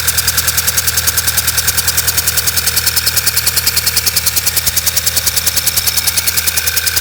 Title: B6 Passat check engine light flashing rough idle